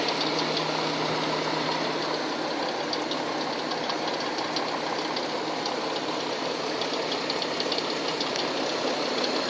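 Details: Hyundai Tucson at idle: fast, uneven tapping about three per second through the engine; engine knock of unknown origin.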